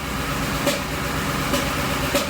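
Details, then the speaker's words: V8 engine at idle, scan-tool cylinder power balance shows cylinder 3 dropping with each pop: sharp pop about every 0.7 seconds breaking steady idle; misfire on cylinder 3, cause unknown (ignition, compression or other). "Every time I hear a pop, this comes down and it loses power. So cylinder number 3 is always down on power. There's something going on with that cylinder."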